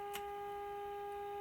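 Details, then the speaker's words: 1951 RCA Victor Nipper II tube radio during repair, IF alignment: a steady, pure mid-pitched tone with a faint overtone. This is the modulated test signal being peaked to improve reception. "that's the sound of the modulated signal and we can adjust this"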